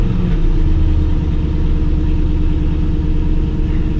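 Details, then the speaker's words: 2000 C5 Corvette V8 with long tube headers, first start after starter replacement and X-pipe reinstall with RTV on exhaust joint: deep steady idle rumble, slight early flare, no knocks; starter sounds good, previous exhaust leak no longer heard, normal idle. "Starter sounds good. I'm not really hearing that exhaust leak that I used to hear, but I am going to let that RTV cure."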